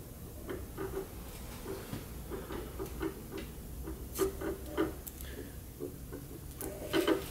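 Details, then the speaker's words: Mill drilling to duplicate the hole pattern from the old brazed lathe spindle gear into the new gear: faint uneven ticks as the drill is turned slowly by hand, the point rubbing on one side of an off-center hole, so alignment is adjusted. "can we we can hear it rubbing okay and you can see the flutes are this way right now that's where the rub noise is"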